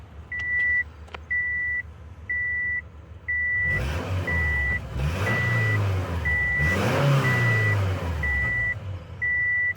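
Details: 2008 Subaru Forester 2.5 after repairing a P0102 mass airflow sensor fault that caused stalling and rough running; MAF now reads voltage and responds to throttle: steady, even run under a one-per-second beep, smooth rev blip, no misfire.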